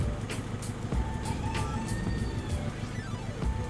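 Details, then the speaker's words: 2002 Honda, warmed up after sitting (normal when cold): lumpy misfiring idle with irregular low thumps under music, engine shaking hard, incomplete combustion; cause found to be corroded cylinder head water jacket. "Oke teman-teman jadi setelah ditinggal beberapa saat ya Dan ini tuh mesinnya bergetar ya"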